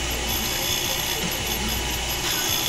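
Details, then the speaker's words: Truck cylinder heads, valves spun in a valve facer to check straightness: constant high grinding hiss with faint uneven pulsing as each valve turns; valves sound slightly out, bent valves. "these are 194. sounds like they're all out a little bit aren't they"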